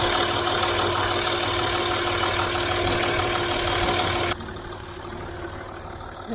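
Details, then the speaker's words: Land Rover Discovery 3 after replacing an aftermarket FAI oil pump with an OEM Ford pump for low oil pressure, now on 5W40 oil, at full oil temperature; steady even idle, ticking possibly from the timing chain, no bottom-end rattle. "i hold the camera in here no rattling i hold it in here i mean i hear it ticking here but i think that's our timing chain yes but i hear no red link from the lower engine"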